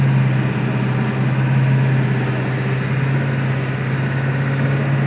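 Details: 1999 Ford F250 7.3L diesel, 155k miles, Banks tuner, aftermarket turbo, intake, exhaust; idling in gear with steady drone and uneven loping beat, milder in neutral or park; owner suspects burnt valve cover gasket harness, unconfirmed.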